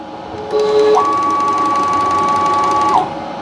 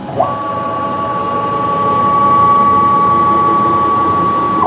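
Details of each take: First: PM-727M CNC conversion: Y-axis stepper motor whines with a quick faint regular clicking, not bearings or ball screw lubrication but a worn motor coupling insert rubbing. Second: Precision Matthews PM-727M CNC-converted mill after fixing clicking from rubbing plum couplings: clean steady stepper whine ramps up, holds even pitch, then drops off; smooth, healthy axis travel.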